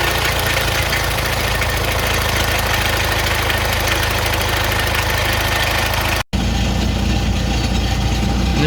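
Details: Classic Fiat 500 air-cooled engine first running after electrical problems were fixed, fed from a jerry can: steady, even putter holding a constant idle with no misses or knocks; generator and oil lights out, so charging and oil pressure present.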